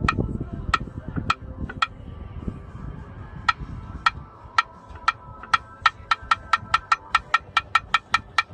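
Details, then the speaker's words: 1989 Jeep Cherokee XJ, Renix I6, AW4 automatic, engine off, converter bolts out but the last, loose one: sharp dry metallic clicks each time flexplate is levered, up to about three a second; owner suspects loose or cracked flexplate, no visible crack or movement. "I don't see the problem but I can hear the problem so I don't know maybe it is the flex plate"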